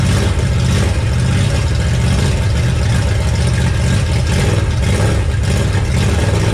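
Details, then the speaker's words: Ford Mustang crate engine (V8) at idle in an enclosed garage, after a gasket fix where the intake manifold had been left untightened (head bolts checked okay); deep, loud, steady rumble with no knocks or misses: healthy engine, loud exhaust. "I'll start it up for you so you can hear the exhaust. Kind of loud."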